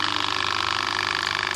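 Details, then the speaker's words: Wagner 435 7.8 hp diaphragm paint pump after internal hydraulic rebuild and fresh hydraulic oil, priming: fast, even pulsing with steady high clatter, no knocking or surging; running smoothly, much quieter than before. "Right, now let's listen to it and hopefully it's sorted itself all out. Much better."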